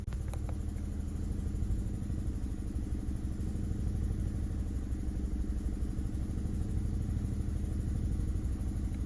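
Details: Chevrolet Malibu with P0300 code: rough, uneven idle with a loping beat about three times a second and dropped pulses; compression passed at 180 psi, cylinders 2 and 3 misfiring from coil pack, replaced and running good.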